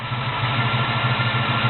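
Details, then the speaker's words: 1972 Chevy Monte Carlo small-block 350 V8 with newly installed FiTech Go EFI, warmed up, coolant at 168: deep even lope at idle with no stumble or shake; normal warm idle. "no shaking or nothing cars rning good so going let it let's play it a little"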